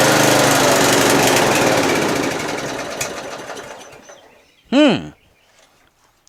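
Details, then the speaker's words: Murray 40-inch LT widebody lawn tractor, 12.5 HP Briggs & Stratton flathead, after a sticky valve with zero compression was fixed: on cold start it runs a rough patter for a few seconds then dies despite plenty of fuel. "there it just stopped it's got plenty of gas"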